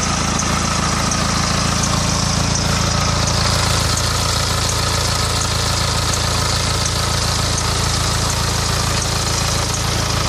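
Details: 2008 BMW E91 with N47D20 diesel, 200,000 km: steady idle with a regular light tick about three or four per second over the clatter; owner suspects timing chain, unconfirmed.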